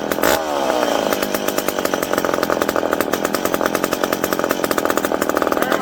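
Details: McCulloch PM700 two-stroke chainsaw, newly ported and on first run, not yet broken in. High raspy buzz holds steady through the cut, firing evenly with no bogging or misses. Normal running under load.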